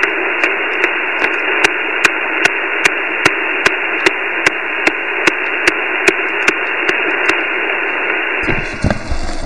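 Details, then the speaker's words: Flex 5000 receiver on 17 meters, also heard on 10 to 20 m; loud hiss with sharp, even clicks about every 1.2 s, unchanged with the house power off, source suspected in the neighborhood. RF interference noise. "it doesn't seem to change anything so i'm thinking it's coming from somewhere in the neighborhood and just started uh this morning"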